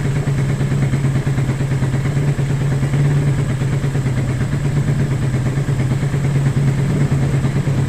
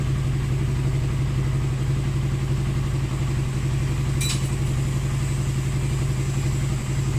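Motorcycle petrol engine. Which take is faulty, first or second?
first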